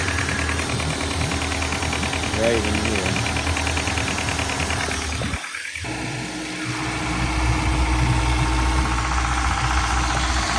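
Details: Running engine with an uneven knock about three per second over the idle, heard at one spot and absent at another; source localized, cause unknown.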